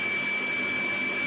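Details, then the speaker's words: Shimizu 230 booster pump, about two years old, tank 1 m above, weakening pressure: steady high-pitched even whine with outlet held back, flow near pump seems weak; scale blockage suspected, unconfirmed. Pump whine. "Harusnya denging dan saya cek kecil ini di sini yang dekat pompa kayak enggak ada pompanya gitu ya."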